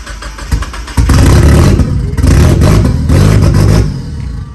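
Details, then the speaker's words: Turbocharged Mazda Miata on its first start after a month-long turbo build: a hard start, then loud uneven revving with lumpy pulses before dying; owner thinks it has too much fuel and needs some air. "Yeah, because I think it's got too much fuel, so I gotta give it some air."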